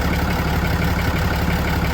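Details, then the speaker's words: 2014 RAM 2500 diesel idling during A/C recharge with a Cornwell RTC800, pressures near perfect, 68°F outside. Steady, even idle with the condenser fan's soft rush on top, pressure dropping, no knocks or squeals; vent air 45–50°F: healthy. "I hear the fan running the condenser Fan's running and the pressure is dropping now that that fan is"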